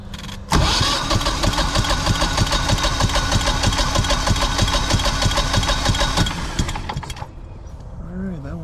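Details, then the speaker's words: Generac 24kW generator compression test, gas off, cranked manually with the gauge on the back cylinder: even cranking beats about three a second for six seconds, no weak strokes. A reading of about 170. "putting out what about 170"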